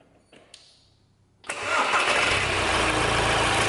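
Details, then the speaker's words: Owner's own diesel winter hack, starting with a delta pressure-pulse sensor pushed into the intake past the throttle plate. A short crank catches immediately and settles into a steady, even idle with no knocks or misses; the engine is running perfectly all right. "now this engine is running perfectly all right as far as i'm concerned it's actually one of my own cars"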